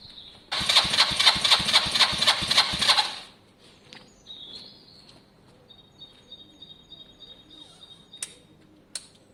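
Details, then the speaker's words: Lexmoto Valiant single-cylinder motorcycle after EFI-to-carb conversion, basic test run; fires and revs in quick regular pulses but sounds flat and strangled, not screaming; owner suspects the carb jet (105 fitted) needs changing. "it doesn't sound terrible but you can hear it it's not screaming so"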